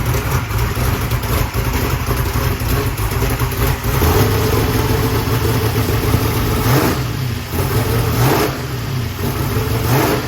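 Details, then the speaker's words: Blow-through 750 CSU carburetor on a 15-degree race engine in a truck, first start after needle-and-seat and rear float adjustment, running without carb hat: crisp, even idle, no leaks or booster dribble. "And everything seems normal. It sounds really good. It sounds crisp."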